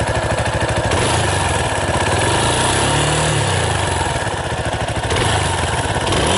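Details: 2018 Yamaha Tricker XG250 (the stock cam chain tensioner is automatic): steady single-cylinder thump at idle under background music, no rattle or ticking from the top end; runs quiet and even.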